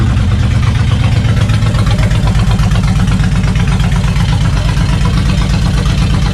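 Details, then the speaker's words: Suzuki Intruder VL 1500, sat for years, after carb cleaning and decompression valve check: loud deep lumpy V-twin idle with even loping beat, no knocks or rattles; smoke from sprayed solvents burning off; healthy idle. "right now we have a beautiful running bike sounds gorgeous it's very loud but it sounds good"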